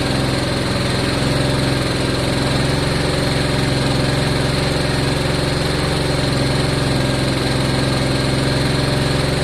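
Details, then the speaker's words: Honda Deauville motorcycle, first start after carb clean, low on fuel, fuel pump just reconnected: steady, even, smooth idle with low pulse, no misses or knocks; normal idle. "That sounds very good. Sounds smooth."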